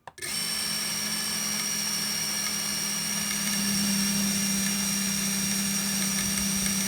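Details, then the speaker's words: FPV cinewhoop drone being set up for filming. Steady high motor whine over a low hum that swells, an odd resonance-like noise plus a rattling sound. The owner suspects the propellers; cause unconfirmed, motor speeds to be checked. "可是我觉得很奇怪，它会发出一个很像共振的异音哦，感觉上不知道是不是从讲页来的"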